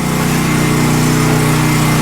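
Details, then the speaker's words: Westinghouse 7000 W generator, about 10 years old, converted to propane with US Carburetion motor snorkel kit, just started for oil-change warm-up: steady even hum, no surging, misses or knocks; running smoothly. "and then hopefully we can just go to on and run it should start right up so i'm gonna let that run for about five minutes"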